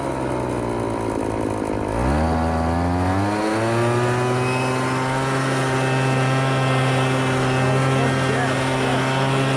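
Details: MTD Bolens BL125 leaf blower after carburetor repair and adjustment for no-start and bogging: catches and climbs quickly, then holds a clean steady buzz with no stumbling or bogging; properly tuned, dialed in.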